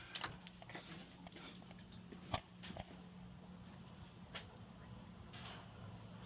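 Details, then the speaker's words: Toastmaster ceiling fan at medium speed, formerly seized bearings loosened with white lithium grease: steady hum with irregular clicks and rattles from noisy bearings; owner plans to oil them. "And it's good, but it has noisy bearings."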